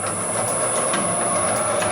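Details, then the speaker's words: Homemade can crusher and wire cutter sped up to the speed used for cutting wire: fast, steady rattling clatter with an even high whir, no knocks or stalls. Running smoothly at speed. "So you just speed it up. You probably do it about there, cutting wire."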